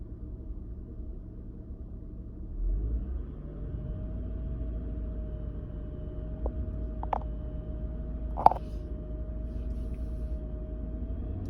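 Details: 2000 Honda Odyssey: low idle rumble with a steady hum and a few odd ticks; the engine won't settle smoothly, a rough idle, with RPM and O2 sensors being examined.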